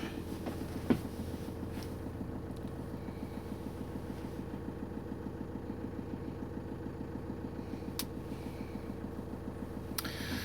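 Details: 2007 Vauxhall Movano 2.5 CDTI diesel van with LPG gas injection, just started, gas entering at 12.7 degrees; quiet, regular diesel clatter at low steady idle, even ticking rhythm, no misses; normal cold idle.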